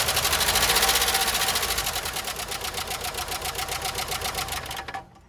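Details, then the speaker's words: 1993 Jeep Wrangler YJ first start after years parked, before an oil change with 10W30, engine treatment and a new filter: fast, even ticking about four per second over a quiet idle; owner suspects poor top-end oiling; valvetrain ticking at idle. "Alright, so you heard how bad it was ticking, so I went by my local O'Reilly's and got some 10W30."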